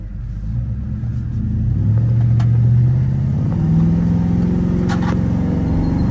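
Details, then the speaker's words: Cammed 4.8 Silverado V8 with Summit Racing cam and higher-stall torque converter, street tuned, driving warm at moderate throttle: deep lumpy rumble climbing smoothly in pitch, no misses or knocks; healthy, pulls strong. "so for four eight she's healthy she pulls nice and strong I haven't stepped on it hard but moderate throttle she sounds good feels good"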